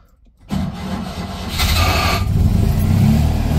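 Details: Citroen 2CV 602 cc flat-twin, cold start after about eight months standing: quiet, then the engine catches and revs climb; it fires and picks up, though charging appears low afterward.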